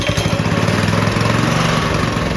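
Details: Early-1990s Russell Coyote Bullet go-kart, small single-cylinder engine, first start in 14 years after reassembly and refuelling, on choke: quick steady popping, slightly uneven but it catches and runs.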